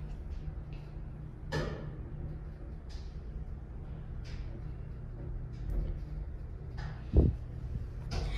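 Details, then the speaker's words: Service elevator descending: a steady low drone broken by scattered knocks and a heavy door-like bang around the 3rd floor; unclear whether it is normal, possibly a chain. Cause not confirmed. "tipo tá descendo o bagulho e quando mais ou menos tá no três passando TR faz um bagulho aquela porta batendo que eu mostrei para vocês agora no começo do vídeo tá ligado"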